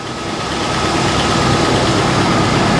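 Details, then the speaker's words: 1955 Chevy Nomad V8, first run in years, coolant and thermostat in, idling in neutral, carburetor possibly rich and plugs had been fouled: smooth, deep, even rumble with no misses or knocks, running on all eight; normal idle. "anyway it runs has coolant in it has a thermostat in it sounds like it's running on all eight"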